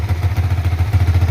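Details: Yamaha Vixion NVL after oil change and cleaning oil filter and lower screen to cure cylinder-head ticking from oil not reaching the head: even quick idle with ticking gone, idle somewhat high, residual oil smoke burning off; oil now reaches the head.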